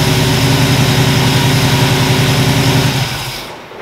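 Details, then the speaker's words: 1977 Chevy Nova small-block V8 after new plugs and advanced ignition timing: smooth even idle with a steady low beat, no misfire or knock, then a clean shutoff; normal running. "i think she's much happier now so um she is dialed into a t i'll show you i mean you just turn the key and she fires right up"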